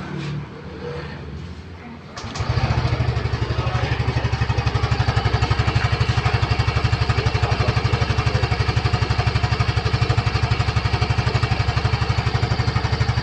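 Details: 2022 Yamaha Gear Type S scooter: after start, steady, even low putter at a fast regular beat, no knocks or rattles; healthy idle.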